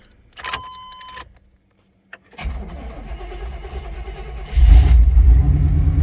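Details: 1990 Chevrolet K1500 pickup V8, first start after replacing a failed oil pump with a high-velocity, high-pressure pump (cold oil pressure now over 50, reading 60-something). It catches after a couple of cranks, settles into an even rumble and takes a smooth blip without knocks or rattles.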